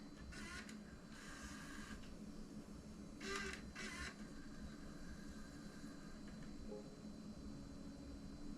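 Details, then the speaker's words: Panasonic AG-HVX200P DVCPRO camcorder, second load attempt after a rough first try and loose-feeling tape compartment: short motor whirs and soft clicks as tape threads, no grinding or catching; transport now loading normally. "You see that sounded better. So that's why sometimes I do this. I just get them working again."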